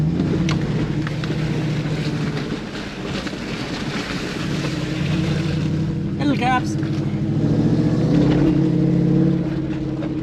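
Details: Toyota Surf with 1UZ V8 conversion after correcting mixed-up coil wiring, driving in high range: even engine drone, pitch rising and falling smoothly with road speed, no stumble or miss; running cleanly.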